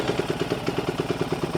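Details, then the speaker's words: Honda Grom clone with ZS212 engine, Keihin knockoff carb swapped for a Nibbi PE28, carb bowl empty, cold start on choke: small single thumps in a quick even beat about nine firings a second, settling to steady idle. "Throw some choke on. I know that carb bowl's empty. So you like it a choke."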